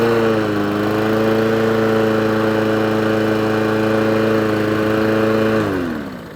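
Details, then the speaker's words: Old Mountfield mower with a Honda engine, after a full service, running off choke: steady, even hum at constant speed with no surging, then a clean wind-down. Runs healthy, though the carburettor idle needs adjusting. "But it pulls like an absolute train. Lovely mower. Lovely."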